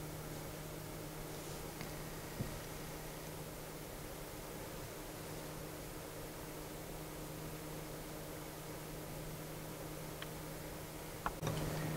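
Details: Noctua NF-P12 120mm fan at reduced speed on its black low-noise resistor adapter, camera close: soft steady low hum with a faint airy hiss, no ticking or rattle; running smoothly and quietly.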